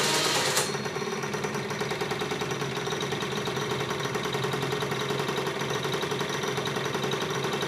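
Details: Roughhouse 50cc two-stroke scooter, first start after fixing a no-spark fault, no throttle cable fitted: catches after a short crank and settles into a fast, even, buzzy idle with steady rapid pulses, running fine.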